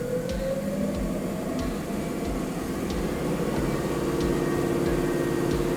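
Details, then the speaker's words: Sherwood 14" heavy duty electronic variable speed bandsaw, speed dial turned up (range roughly 60–70 to just over 3,000 feet per minute): steady motor hum climbs smoothly in pitch then holds even, no knocks or rubbing; normal variable speed operation. "Now you've got your adjustable speed here, and then it'll tell you your feet per minute. That's telling you how fast it's spinning. Just turn it up and turn it down depending on the operation."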